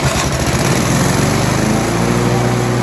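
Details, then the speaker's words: Briggs & Stratton 4-stroke on an alloy-bodied lawnmower that had been under-revving, after a governor spring swap: it runs up briskly, then the governor holds a steady, even speed without hunting, a huge improvement. "swapping that Gardener Springer has made a huge difference when you start up the lawnmower you can see that butterfly is actually working as the engine revs up you can see the engine is trying to govern it back"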